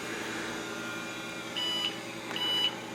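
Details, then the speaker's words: IBM PS/2 Model 25 286 thrift-store computer, modem and serial card pulled, CMOS suspected bad, hard drive sounding rusty: short high-pitched beeps over faint fan noise during boot; two-beep POST error code, the modem had been preventing power-up. "two beeps same error code well so for whatever reason this modem was preventing it from powering up"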